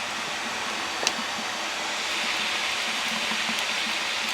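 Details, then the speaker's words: Wood boiler heated by Axeman Anderson, outdoor boiler returning about 150° with about 165° feeding out: steady seething rush with faint irregular low thumps; water kettling inside boiler. "wow it's really kettling now listen to"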